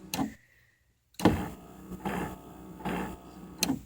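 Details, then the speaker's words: Oldsmobile Alero driver's power window motor and gearbox, window not travelling fully: rough, rasping surges under a second apart with clicks at start and end, gearbox seems to slip; owner suspects worm drive fault; power window motor grinding. "listen listen very carefully hear that there's something messed up in this worm drive right here"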